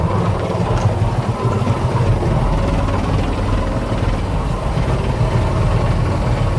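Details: 1985 Bayliner Trophy inboard, out of the water at least 3 years; even steady low rumble with no stumbles or knocks throughout; running smoothly.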